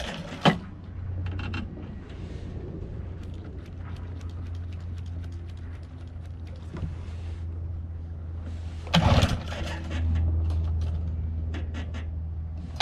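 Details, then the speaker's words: 1979 Johnson 15hp two-stroke outboard, cold start after sitting 2+ months, after replacing fuel lines so it no longer sucks air: steady low drone with a few handling knocks, even continuous run without stumbling; normal running. "oh yeah she's gonna run alright so that was that was much easier than expected looks like replacing those few lines helped a lot it's not sucking air anymore"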